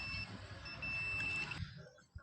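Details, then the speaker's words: Samsung A156E 5G phone, dead: multimeter continuity test on a board capacitor gives steady high beeps from both sides, capacitor shorted to ground; to be removed. "तो यहां पर देखिए beep की आवाज सुनाई दे रही होगी यही कैपेसिटर मुझे शॉर्ट लग रहा है"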